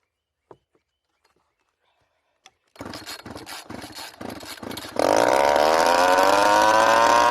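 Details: Small two-stroke weed eater engine rigged as a generator, started without choke: a few pull-cord rasps, then it catches and winds up to a steady high buzz, running on its own.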